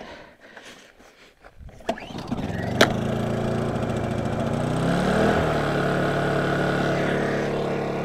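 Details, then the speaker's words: Honda generator, unused for a long time, starts at once after the gas-cap vent switch is turned on: quiet at first, then the small engine catches, picks up speed and settles into a smooth, even run. A healthy start. "that one started up so apparently I forgot to turn on the on switch on the gas cap I guess that allows it to drain"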